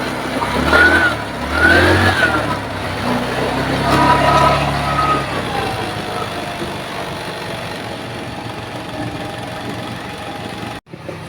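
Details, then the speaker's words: GY6-type scooter, possibly a Mio, that wouldn't start and kept draining its battery: after a kick start, it idles steadily with an even hum. The owner blamed the battery, but the cause was the spark plug; compression was verified good. "umandar naandar na so sa case na motor na ito guys sinabi ko kasi ung sabi ng may-ari lowbat daw po ung battery kaya Aya umandar no kaya lang nalolobat dahil nga po sa kanyang spark plug no"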